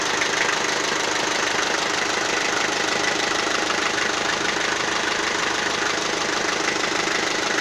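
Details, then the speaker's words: Toyota 4B diesel, warmed up at idle, knock began after injection pump repair (plunger pair and nozzle replaced): even idle with faint light rattle like small rolling balls, almost inaudible now; cause of knock unclear. "двигатель прогрелся час кукла не слыхать почти маленькая маленько такой звук перекатывающихся шарика ."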